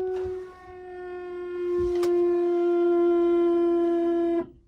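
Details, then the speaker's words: Mahindra Roxor in very cold weather, key on in neutral before starting: loud steady mid-pitched drone for about four seconds then cuts off; fuel pump suspected to be straining in the cold. "Yeah, even this. The fuel pump is having a hard time. It's loud."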